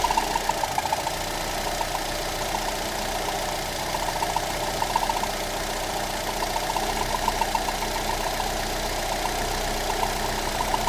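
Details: Lada Granta 126 engine just after full rebuild (bored block, new bearings, 82.5 pistons, new timing kit and valves), idling: light scraping, irregular ticking; belt tensioner roller rubbing the crank pulley, scrape gone after loosening the alternator belt.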